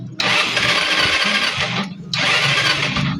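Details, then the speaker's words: Euro 150 fuel-injected scooter that suddenly stopped starting, spark plug removed then refitted: two bursts of starter whirring with no firing; compression present, check engine light showing, fuel pump delivery checked next. "Walang putok. Ayun meron meron naman siyang compression. Meron naman siyang compression."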